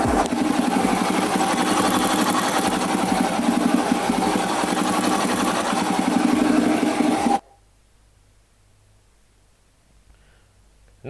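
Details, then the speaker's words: Honda motorcycle engine idling after valve clearance adjustment; even, quick idle beat with the earlier ticking gone, smoother than before, then shuts off; adjustment successful. "Nah, inilah suara dari mesin setelah mesin dia di setel klepnya. Untuk suara bunyi taktik-taktiknya dia sudah hilang. Berarti untuk penyetelan katup dia sudah berhasil."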